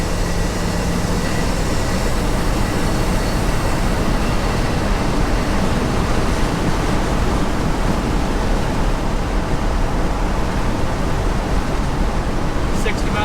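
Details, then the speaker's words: 1974 Ford F100 4x4 cruising after shifting transfer case from 4-low to 4-high: steady, even low rumble with road and wind noise, no clunks or grinding; much better, driving normally. "It was in 4 low the whole time. So I just put it in 4 high and we'll see how it does. Much better."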